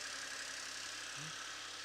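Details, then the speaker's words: Polo idling during cold start with the intake removed: steady, even idle with smooth hiss and high whoosh of open intake air, no knocks or misses; normal cold start idle. "We'll hear how it sounds without an intake. I just want to wait for the cold start to finish."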